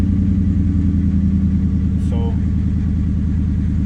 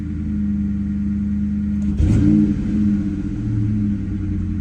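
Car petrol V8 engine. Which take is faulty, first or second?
first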